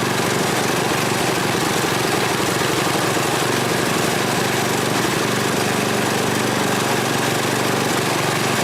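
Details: Tecumseh Snow King 8–10 hp snow blower engine after carburetor replacement, started with choke on: loud, steady single-cylinder chatter at constant speed with no misses or surging; runs evenly.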